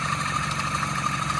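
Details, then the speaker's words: 2012 Mini Cooper Countryman idling: loud raspy exhaust from a cracked, sooty exhaust flex pipe, plus a ringing whir from the water pump pulley friction drive at the front of the engine, not timing chain. "You can hear a couple things going on here. The exhaust flex pipe is broken."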